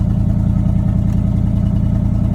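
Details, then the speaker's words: 1979 Chevrolet C30 square-body truck, fuel poured into the carburetor with no fuel tank: a smooth, steady low V8 rumble with an even beat and no tapping. Normal running; it sounds good. "Overall, she sounds good."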